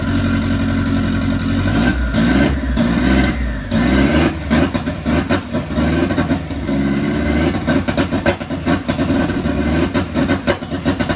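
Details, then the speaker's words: MK1 Fiesta Zetec turbo first starts after ECU fix, now on all cylinders with fuel being pulled out, running rough with pops and bangs and big exhaust flames, dumping oil; unbelievably rich while gauge oddly reads lean; backfiring. "They were some big flames. Some very, very big flames. It's unbelievably rich."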